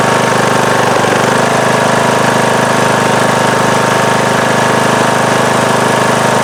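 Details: Circa-2010 Craftsman mower, Briggs & Stratton 19.5 hp single-cylinder, after re-gluing loose flywheel magnets, at full throttle: even steady drone with no crunching or high-pitched vibration; charging about 12.8-12.9 V.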